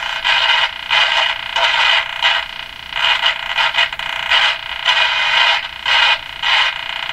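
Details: Canadian Westinghouse Model 577 radio after the low B+ fix: intermittent harsh crackle and hiss while tuning; it disappears with the tuning capacitor fully open, so a scraping plate is suspected, with DC on the plates possibly a factor.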